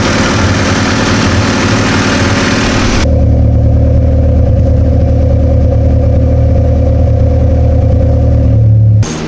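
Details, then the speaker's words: Slammed EK Honda Civic sedan after its heat cycle sealed the patched exhaust: harsh revving, then a deep steady even idle with no puffing or ticking, no leaks believed remaining; normal idle. "So the whole system's sealed up, went through its heat cycle, and I don't think we have any leaks anymore."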